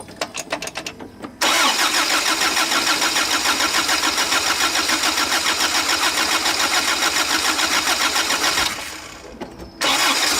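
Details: 1977 Toyota pickup with a rebuilt engine whose old rocker arm assembly was not replaced, idling after cranking: a sharp metallic tapping or clanking from the top end, about three a second; worn rocker arms.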